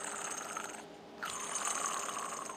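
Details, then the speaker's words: Craftsman hydrostatic garden tractor running: harsh raspy squeal near 1 kHz, cutting out briefly and returning; bad idler pulley, replaced. "Only thing is making some really terrible noise, and I'll put this up next to my microphone so you probably can hear it, but"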